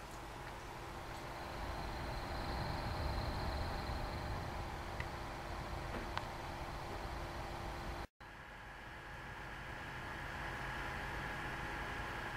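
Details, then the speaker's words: GeForce GTX 580 graphics card fan at idle, recorded with the camera held close to the fan; a soft, steady airy whoosh with a faint hum, cutting to a similar quiet hiss, which is normal idle fan noise. "So right now we've got the GTX 580 idling, and let's get in nice and close and listen."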